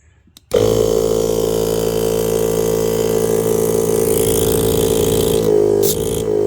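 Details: Viair 480C air compressor rebuilt after 2 years of use, running with the hose back on and thread sealant applied, much quieter than before: steady pump drone with an even hum and smooth, level pitch, no rattles or knocks; running properly.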